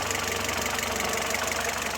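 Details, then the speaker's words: Citroën C4 2.0 hot idle, oil at 97 °C, losing power and going into limp mode: loud, fast, even clatter from the top end; cam phaser at −5°, manifold pressure high. "ya se puede escuchar cambio el sonido del motor más ruidoso en la parte de arriba que está como más como más lento"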